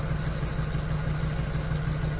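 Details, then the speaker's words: 1979 GMC C15 with LS swap, after replacing bad injectors that caused P0300 misfire: steady, low, even idle with no stumble, running on all eight; owner still hears something and suspects a slight remaining miss. "Oh yeah. That's how she's supposed to sound. Now that's running on all eight."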